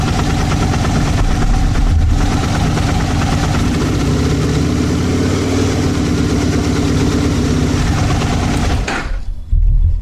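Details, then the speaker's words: Gen1 Aprilia RSV1000 Mille/Tuono V-twin after the Exact Start battery cable upgrade; the starter previously stuttered. Catches cleanly with no starter stutter and the fuel pump kicks in right away, then a steady, even beat. Normal starting and running. "Wow I'll tell you it's it's almost instant on power in the - before there's slight hesitation you can hear the fuel pump kick in right away"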